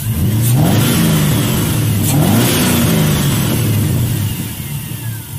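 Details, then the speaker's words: LS-swapped 1967 Chevrolet Bel Air just after new spark plugs and plug wires; two clean throttle blips rise and settle back to steady idle with no misfire, running okay, though a little louder than previously. "all right seems to be running okay might notice it's a little louder than the last time I had it on camera"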